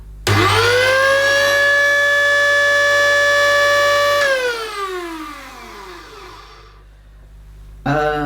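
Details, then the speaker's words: Electrolux The Boss Super Lite upright vacuum, bought used and run without a filter: the motor spins up to a loud, steady, high whine, then winds down, not sounding right; the owner suspects the motor is clogged with debris, not confirmed. "I think we can safely say probably not sounding as it should."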